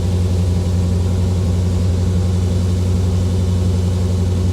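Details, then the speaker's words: 1985 Chevrolet Corvette C4 V8 after engine work, now running on all eight cylinders: low, steady, even rumble with no misses, ticks or knocks, after idling high earlier (throttle may need adjustment); normal smooth idle. "nice and smooth nice and smooth"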